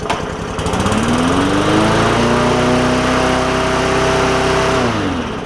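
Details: Bolens push mower, Briggs & Stratton OHV engine that was hard to pull and needed a valve adjustment. Started on starting fluid with no gas in the tank; it catches, climbs quickly to a steady, even speed and runs smooth with no misses or knocks before shutting down.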